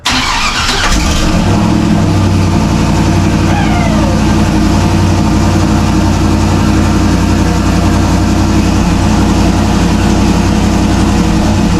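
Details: Turbo LS Camaro first fire after sorting an injector issue: quick crank, fires at once and settles into a steady, even V8 idle with no misfire or knock; sounds good right off.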